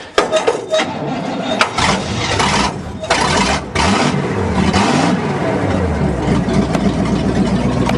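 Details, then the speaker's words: 1963 Allis-Chalmers loader with 1978 Monte Carlo 305 V8, after storage, antifreeze added, fed from gas can, no squirted fuel: cranks, catches, stumbles, then uneven revving as throttle is pushed; cold engine needs throttle; running after restart. "Starter button. Yeah. Whoa, I guess we do need to give it some throttle."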